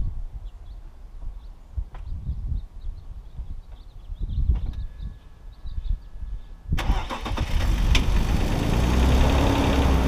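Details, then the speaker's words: BMW E46 first start after sitting three months, spark plugs reinstalled with oil poured into the cylinders; slow cranking catches in about seven seconds and settles to a smooth, even idle, a little blue smoke from the exhaust dump due to that oil. "but sounds good idling smooth you can see with the exhaust dump that I have on the car there's still a teeny tiny bit of blue smoke puffing out"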